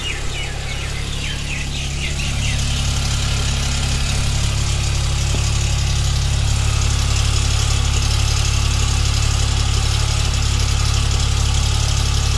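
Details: 2021 Hyundai Venue SX (O) at about 5,500 km: just after start-up a fast, fairly regular rattle of about four per second rides over a loud idle; source unknown, service centre declined.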